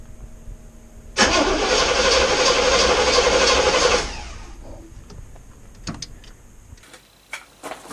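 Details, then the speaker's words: 1973 GMC 2500 Camper Special 454 V8, sat 13 years with old gasoline: steady rapid cranking about four turns a second, no firing; fuel filters suspected. Cranks, no start. "Sounds like old Jimmy wants to run. I'm going to need to go through, I think, and find some fuel filters."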